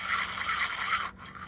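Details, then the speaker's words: Shakespeare 2410 spinning reel: a dry, rough grinding rasp as the handle is cranked, swelling several times a second. It is not yet known whether it is a bearing or a gear noise, and it is still noisy with the handle and rotor removed. "Okay, so the first thing we got to do is find out if this is a bearing noise or if this is a gear noise."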